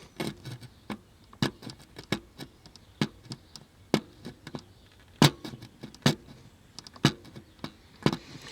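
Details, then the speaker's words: 1976 Sony Trinitron KV-1711D TV, meter continuity beeper across a board trace: sharp irregular ticks and chirps cutting in and out; cracked circuit board breaking continuity intermittently. "so definitely a cracked board uh get the high power magnifying glass out and really inspect the crack is right here you can hear it"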